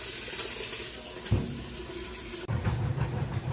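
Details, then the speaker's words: Kenmore washer, used, during inspection before agitation test: steady rushing water with an even hiss, no banging or chatter; filling normally. "so I'm gonna let this fill up and I'll show you that it in fact agitates drains and then you'll get to listen and see the final spin cycle as well"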